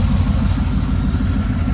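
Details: 1979 Pontiac Trans Am V8 idling after tune-up: deep, steady low rumble with even beat, no stumble or hesitation; big V8 idling cleanly, normal idle.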